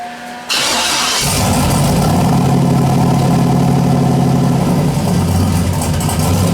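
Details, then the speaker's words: Modified boosted petrol engine after cold start, previously wrong O2 sensor setting in base tune: cranks, catches, slightly uneven idle wavering in closed loop as mixture control overcorrects; smooth once hot — idle hunting, tune still in progress. "all right closed loop at idle is a little bit you can hear it it goes 20 like 11 2011 so I got to slow it down around idle"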